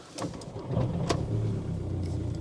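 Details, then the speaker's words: Cheap used diesel car, 160,000 miles, cam belt history unknown, started after glow plug wait: fires promptly, settles into low steady rumble with no knocks or rattles; engine sounds all right. "Well, it's done 160,000 miles. Engine sounds all right. Actually, it's not bad."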